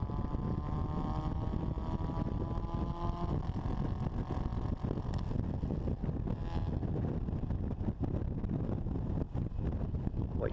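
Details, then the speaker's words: Supercharged 1960 Bugeye Sprite pulling hard under higher boost than previously run: engine flutters and backfires, then returns to normal as revs rise; cause unknown, possibly fuel starvation or ignition; heavy wind and road noise. "should be able to hear is some fluttering and some backfiring and then as i rev the engine you hear that it comes back to normal"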